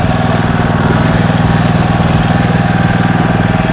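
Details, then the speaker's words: Loncin LC192F single-cylinder petrol engine running on 95 petrol, measured at 4100 rpm and claimed 20 hp, with an oil pump and a vibration-damping plate, just started with the choke then opened. Steady even thumping about four beats a second, no vibration: normal idle. "двигун працює рівно без вібрацій"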